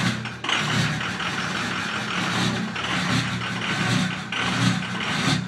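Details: 2005 Ford F250 6.0 Powerstroke diesel with 150k miles: uneven, stumbling rough idle; FICM voltage read 20 V or lower instead of normal 48 V, failing injector control module.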